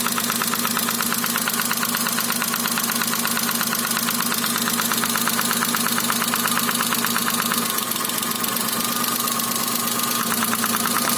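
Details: Daewoo Matiz 0.8 with ignition module: sharp metallic knock ticking steadily over the idle, about 100 per minute, in cylinder 1; mechanical engine knock, later resolved.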